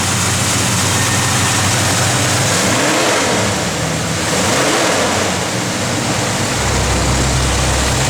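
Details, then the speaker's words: 1970 Chevrolet Chevelle SS, 454 ci crate V8, Holley 4-bbl, Hooker headers, Flowmaster dual exhaust, cold day: loud lopey V8 blipped twice, revs rise and fall cleanly and settle to an even idle; healthy engine. "That car runs good."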